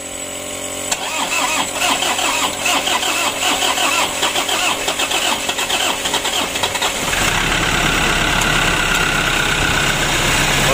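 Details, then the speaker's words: Toyota Innova diesel, hard to start: the starter chugs slowly, about four per second, for six seconds before catching. Mechanic suspects weak starter speed from the battery or the starter motor. "di sini untuk mesinnya sudah hidup starter pertama itu agak panjang dikarenakan apa Menurut saya itu putaran dari dimustater itu kurang kurang kenceng begitu"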